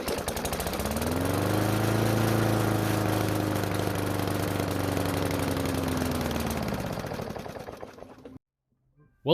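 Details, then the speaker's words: Cheap Hyper Tough lawnmower after rebuild (ran without oil and seized): fires and drones evenly about eight seconds, then sags and dies; owner suspects carburetor needing cleaning, later ran without dying. "well if finally started but it died after 5 Seconds of running which would point to a carburetor problem"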